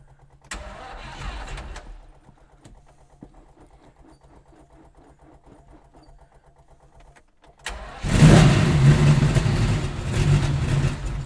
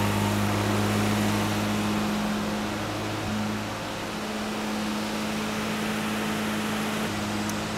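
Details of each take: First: Stone-cold Lamborghini Miura started by switching on the ignition and giving six stabs of the throttle (it effectively has no choke): two short cranking bursts, then it catches with a loud roar into a fast, steady warm-up idle. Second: Classic Mini Cooper S engine in a 400 kg trike, cold start, fires within two seconds: steady even drone near 2000 rpm; fast idle too high from cold before oil can circulate.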